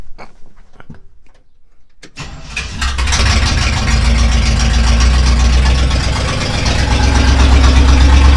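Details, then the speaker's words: Rebuilt Chevy 283 in a 1965 Nova Wagon, first start after install: catches after a short crank into a loud, deep, raw idle. The exhaust pipe didn't fit, so one side is uncorked, an open exhaust on one bank. "yeah that sounds terrible one side uncorked anyway well it's up and running at least we just got to take it to the exhaust shop they'll fix it up for me not that big a deal"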